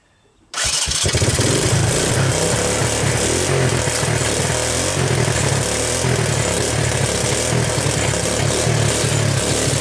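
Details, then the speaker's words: 1984 Honda ATC 200ES with low compression (30 psi dry, about 60 wet), first start on starting fluid with oil squirted into the cylinder and a new Keihin PZ27 carburetor; fast, uneven, rattly idle that does not settle. "wow can't believe it started by the way I did uh squirt some oil down the spark plug hole so that was like a uh onetime shot"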